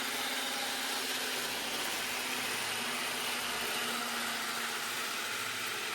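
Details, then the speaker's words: Old Graham Farish N gauge chassis motor in a Class 323 model running on DC: steady high-pitched buzzy whirr with hiss; owner suspects the polish adds noise and hopes it quietens after a service and on DCC. "I think some of the this makes it a little bit more noisy as well the Polish"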